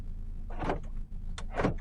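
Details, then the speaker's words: Mk1 Suzuki Wagon R+ project car, just reconnected after sitting unused over a year: central locking actuators give two quick motorised whirring clunks about a second apart, locking all doors; normal central locking operation. "oh wow I've even got Central locking on this bad boy look you can hear"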